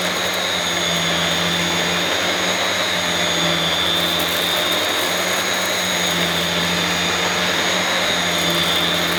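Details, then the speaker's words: Refurbished used Dyson DC21 Motorhead canister vacuum, bought smelly and damp, motorhead running; loud steady airy rush with faint high whistle, even and unbroken; owner thinks the powerhead sounds better than the DC23; normal running. "I think the powerhead definitely sounds better than the DC23. Definitely."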